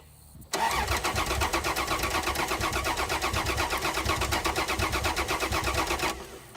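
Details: General Dakota sat five years, cranked with five gallons of gas: about six seconds of steady starter cranking with an even chugging beat and no firing. The fuel pump was later removed and brown, contaminated gas came out.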